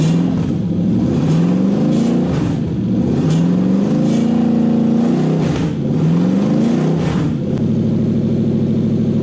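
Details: Toyota 1UZ-FE V8 in a Lexus SC400/Soarer on a 40/40/40 ECU with a brand new conversion loom; several clean throttle blips rise and fall smoothly, then an even, steady V8 idle with no misfire, healthy.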